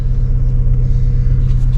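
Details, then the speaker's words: 1st-gen Toyota Tacoma 3.4L V6 (5VZ-FE), which hunted and stalled at idle, after replacing a cheap idle air control valve with a new one: deep, even low rumble holding steady speed. Normal idle. "She rocks steady now, so I'm happy to have that fixed."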